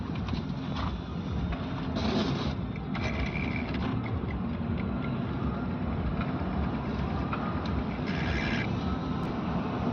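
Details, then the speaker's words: Running engine: steady rasping whirr with no change in rhythm from the alternator, which shows rub marks; something rubbing in the alternator. "यह alternator से आवाज आ रही alternator पर निशान भी है देखो अल्टरनेटर पर निशान भी है व अल्टरनेटर से आवाज आ रही है"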